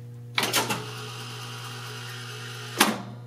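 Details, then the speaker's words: 1970 Wurlitzer 3400-series jukebox, record selected, buttons held down during the cycle: even low motor hum, quick burst of clicks, then firm clunk as it stops and buttons pop out; normal selection cycle. "Notice when I select a record that the buttons stay depressed until that sound stops. Then they pop back out."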